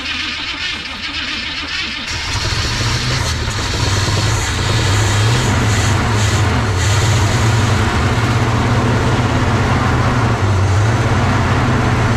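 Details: 1970 Chevy C30 farm truck, believed 350 small-block V8, parked up to 38 years and fitted with a new battery. It is bottle-fed fuel with no fuel system hooked up. After a ragged catch it settles into a fast, uneven idle and runs on its own while smoking heavily: rough idle.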